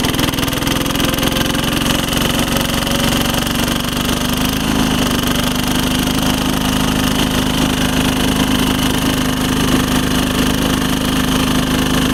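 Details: 1983 Case 446 repowered with a Lombardini 6LD 435 single-cylinder diesel, high range at full throttle up a steep grade: steady, even clatter at a constant fast beat, no misses or heavy knocks; normal running.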